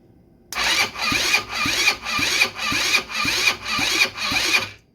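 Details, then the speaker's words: 150cc GY6 short-case engine from Blade 150 UTV, previously seized after running without oil, cranked by jumper-cabled battery with spark plug in: even starter rhythm about two strokes a second, slowing on compression. Normal cranking compression. "It don't sound terrible. Sounds like it's got compression."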